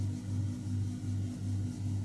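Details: Bosch Compress 3800i exhaust-air heat pump compressor running: a steady low hum pulsing about three times a second, a droning bass thump that travels out through the air-supply ducts into the house.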